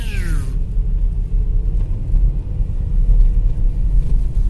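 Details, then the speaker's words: VW Touareg engine, deep uneven droning hum that swells and eases with revs, louder at low rpm, seeming to come from the left; owner unsure if a belt idler roller or power steering pump, plans power steering fluid change. "Может, какой-нибудь ролик так гудит. Больше на низких оборотах."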